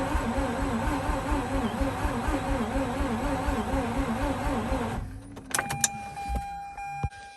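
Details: 2004 Mazda RX8 manual, unstarted for two years, cranking with throttle held to deflood: uneven cranking with wavering whine for about five seconds, stops without firing; alternator pulley found not spinning. Cause suspected, not confirmed.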